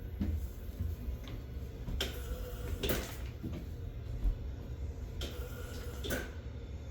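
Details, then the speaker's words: Water Shield Big Pump RO unit installed: low, muffled pump hum with water rushing and spurting through the drain line, which is normal running noise; covering the drain hole reduced it. "I can still hear the water shooting over to the drain I found covering the drain hole really helped with the noise"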